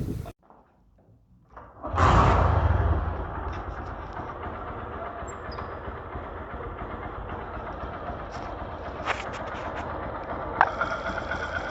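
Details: Engine heard through a Phillips screwdriver used as a stethoscope: a clunk, then a steady, even idle with no knocking or ticking; top end and piston sound healthy, normal idle.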